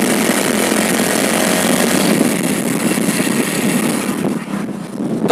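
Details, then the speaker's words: Hero Splendor Plus after the primary gear was replaced. A steady, even single-cylinder idle with no whine or gear rattle. The primary gear noise is gone and the engine sounds healthy and settled. "आप सुन सकते हैं bike के अंदर बिल्कुल भी sound नहीं है तो यही प्रॉब्लम था इस बाइक के अंदर"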